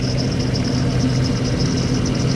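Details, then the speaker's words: 1995 Jeep Cherokee XJ after full engine rebuild, at idle: low, uneven idle with a lumpy stumble persisting as a plug lead is pulled; single-cylinder misfire remains after replacing a plug wire, cylinder 5 tests good, plugs to be swapped next. "Remember, that's the only thing I've changed so far is the wire. And we still got the miss."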